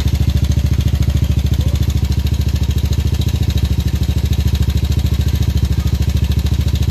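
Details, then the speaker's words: Yamaha Aerox scooter before repair, failed timing chain tensioner (earlier repaired wrongly elsewhere): steady idle with fast, even metallic clatter on every firing pulse, about three and a half per second; timing chain rattle. "Ito yung tunog ng Aerox ni boss bago namin ayusin. So pakinggan niyo muna."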